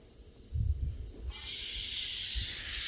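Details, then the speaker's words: Bench test of IPR valve off a 2006 Ford F350 6.0 Powerstroke diesel on shop air via old pigtail: strong steady hiss of air flowing freely while unpowered, stopping when 12 volts applied; valve functioning normally. "all right you hear it you hear the air free flowing over here so when I take my probe and I'll pry 12 volts to it boom stops"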